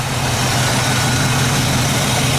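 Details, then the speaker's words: 1968 Chevy truck V8 with a different 4-barrel carburetor, new distributor cap, coil, Flowmaster exhaust and flattened, leak-free exhaust manifolds: smooth, steady idle rumble with even beat, no ticking or knocking; healthy. "it sounds pretty good. No knocking, tapping, or anything like that. Runs"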